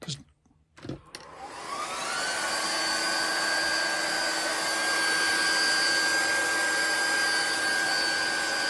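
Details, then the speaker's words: GX SC2/3 high-pressure compressor pump (about 100 to 300 bar in 5–6 minutes), plugged in and started: the fan spins up within a second to a steady whirring hum with an even high whine, no rattle or grinding. Cooling fan running normally. "I'll plug it in. It'll start up straight away. The fan will come on."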